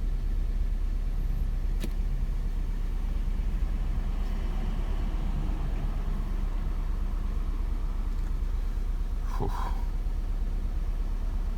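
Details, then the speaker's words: 2005 Nissan Altima 2.5 four-cylinder, 200,000 on the odometer, lumpy stumbling idle misfiring hard when revved: P0301 on cylinder 1 and cylinder 4 also misfiring, traced to bad valve cover tube seals. "we rev it up a little bit oh yeah she's misfiring really good right there"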